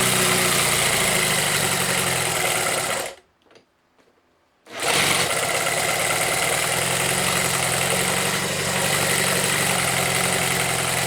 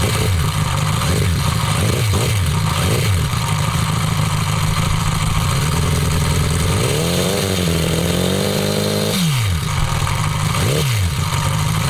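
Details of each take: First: Homemade four-cylinder CD125four engine (Honda Monkey converted, ver1.1), indoor start test with reduced mic level after sealing gaskets against blow-by: busy, even idle, steady beat, no knocks or rattles, one brief dropout; normal idle. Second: Homemade four-cylinder CD125four engine (Honda Monkey converted, ver1.1) fitted in the bike at a riverbank: idle and blips with light clatter from the head; rocker arms can't be adjusted properly since there's no room for a feeler gauge, causing valve-train noise.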